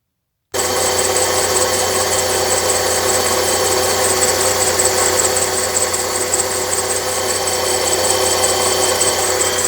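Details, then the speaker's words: Chery Amulet petrol engine running with a dry metallic scraping rush and slight whistle from the belt-driven accessories on the right side, rising with throttle; alternator replaced first without effect, actual cause a worn A/C compressor clutch bearing. "такой появился шум залоге как будто что-то какой-то металл по сухому как 3 и немножко посвистывание нас есть это за ролик или ремень как шум такой стоит сухой сухой"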